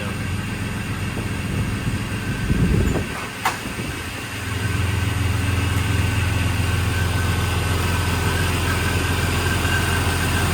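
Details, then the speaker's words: 2000 Jeep Cherokee XJ Classic 4x4 with new inline-six engine, cold start, no smoke or leaks: after brief disturbance settles into steady, even low idle hum with no knocks or misses; healthy. "There's your inline six. We have not cleaned up this engine bay, so it's pretty dirty. But you can hear how it sounds at least."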